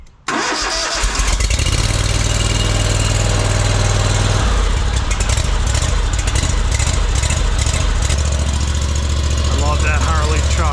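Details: Ferris ISX 3300 mower with a fuel-injected engine, after fixing a seized idler pulley, burned belt and binding wheel spindle and checking the air filter: fires almost instantly, then a smooth, steady idle with clean speed changes; normal start and idle.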